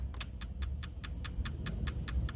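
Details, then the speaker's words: Turbo Lexus IS300 with ECU Masters plug-and-play harness kit, injector test before first start; number one injector heard and felt clicking, crisp evenly spaced ticks about five per second over a quiet hum, firing normally. "Okay. So I heard the number one injector clicking. I felt the number one injector clicking."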